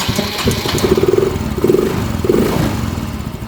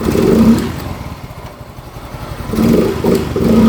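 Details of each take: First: Yamaha Mio M3 125 scooter with a new spark plug, plug cap and coil: ragged running with uneven surges instead of a steady idle, then it dies while fuel pump pressure is watched. Poor idle. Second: Yamaha Mio M3 125 scooter, after TPS adjustment, throttle setting returned to normal and valves adjusted: starts on the electric starter and ticks over steadily, then picks up cleanly on short blips with no stumble. Revs drop back promptly; running healthy.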